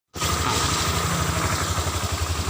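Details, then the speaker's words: Honda Vario 125 scooter on center stand at low idle: steady low thrum with faint drivetrain drone as the rear wheel turns by itself without throttle and can't be held by hand; CVT clutch dragging at idle. "Pada putaran mesin rendah seperti ini, seharusnya dalam posisi netral, kan? Saat sedang berjalan, seharusnya tidak secepat ini."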